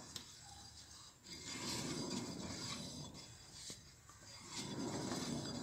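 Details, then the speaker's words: Car front wheel bearing, cheap brand replaced less than a year ago, wheel spun by hand: dry, gritty rasp swelling and fading each turn; worn, failed front wheel bearing. "durou menos de um ano galera olha só Aí ó rolamento estourada fazendo barulho barulho já"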